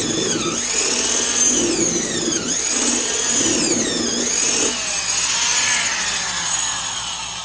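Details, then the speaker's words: Old low-hours Black & Decker Super Duty 5/16" D-handle production drill boring pine with a 1-inch spade bit: smooth high motor whine dipping as it bogs, no grinding or rattle; healthy, quiet drill. "This whole drill just has a really nice, quiet, smooth sound. Really like that about it."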